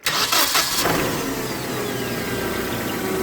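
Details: Hyundai 2.5L after the bypass wiring was restored to factory and the key left on until the power relay timed out: a short crank, then it catches at once and settles into a steady, even idle. Normal start.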